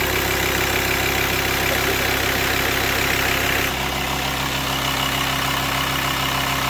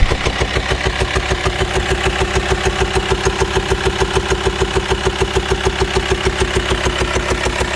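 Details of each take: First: VW T5 long-wheelbase van, 2.5 BNZ diesel, first start after replacing camshaft and tappets plus all filters and oils: steady, even diesel clatter at idle, much quieter, no knocks or ticking; normal idle. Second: VW T5 2.5 BNZ diesel van, 4WD, long wheelbase, high roof, idling: steady, sharp ticking about three beats a second over the idle. It has no power and could not climb a hill; owner suspects worn camshaft and hydraulic tappets.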